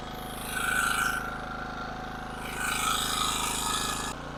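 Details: King Canada 1500 W generator, Chinese engine: steady low hum at even speed under airy hiss swells, no hunting or surging; running back to normal.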